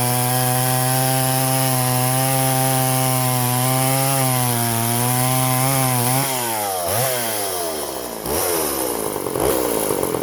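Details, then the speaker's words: Poulan 3400 Countervibe (Craftsman 3.4) vintage chainsaw cutting wood after adjusting the too-high carburetor diaphragm metering lever; crisp high revs hold, dip and recover smoothly as the chain bites, running strong and clean. "all right she's a little honey"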